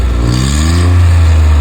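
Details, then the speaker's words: Suzuki, December 2014 model, petrol: the rear silencer box has failed and the front catalytic converter is missing, giving a deep, loud, booming, barely muffled exhaust drone. "जो bad sound आपको आ रहा है, दिसंबर 2014 model का back वाला box है जिसका silencer पड़ चुका है और इसके फ्रंट पे कैट होता है, कैटलिटिक कन्वर्टर भी मिस है।"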